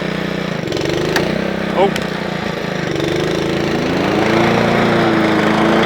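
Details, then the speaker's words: Honda Lawnflight 553 HRS Pro mower, Honda GCV160 engine, rebuilt gearbox, testing roller clutch and drive together: steady single-cylinder chug with no knocks or grinding; running as it should. "So happy. The lawn mower is running as it should do."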